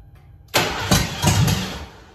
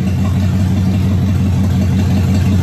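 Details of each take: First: Car nicknamed ABE, new fuel pump installed and tank cleaned, only about 1.5–2 gallons of fuel: starter cranks with a few uneven chuffs but never catches; the pump could not pick up and return fuel, causing fuel starvation. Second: Car first run since 2019 after new fuel pump, cleaned tank, new starter: steady even note, smooth low rumble and light revs, no knocks or misfires; running properly.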